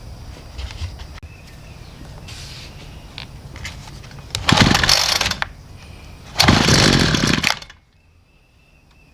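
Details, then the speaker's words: Homelite two-stroke weedeater, primed and on full then half choke: two short buzzy revving bursts that cut out; starts then dies, fuel starvation fixed by replacing gas tank, hoses and fuel cap. "we're going to move it to half choke see what happens then it dies so that's what the complaint is on this thing it starts up and then it dies"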